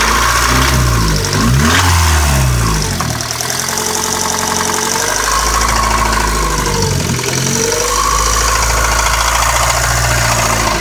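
A quick, light ticking at about four per second rides over the idling engine and follows revs; the source isn't clear.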